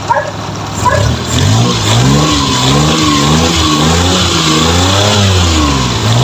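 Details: F6A engine, in a hard-starting fix: revs climb and fall smoothly with a clean, even exhaust note and no misses, knocks or hesitation; healthy.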